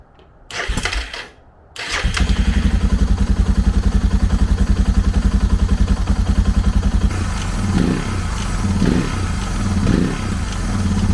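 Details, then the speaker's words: Suzuki DR650 after carb clean and rebuild, valves readjusted, new battery: single idles with steady thump and buzzy rattle; loose part vibration from a missing screw. "i checked everything over and then i realized that this screw right here is missing and i was getting a ton of vibration from this"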